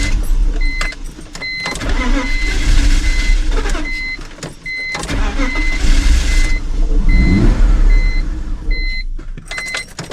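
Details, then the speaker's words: Cheap BMW project car, suspected of not getting enough fuel, cranks with dash chime and briefly catches and surges, then dies away again; cause unknown. "I finally got it to stay running for more than like a few seconds but I was also having to modulate my foot on the gas to keep it running"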